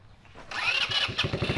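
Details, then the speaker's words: 150cc full-suspension two-seat go-kart, sat over 5 years, being revived: the small single runs with a ragged, stumbling pop that never settles; sounds sickly and poorly fuelled. "Well, I think we're ready to see if this thing's gonna move. Under its own power, yeah. It sounds a little sickly."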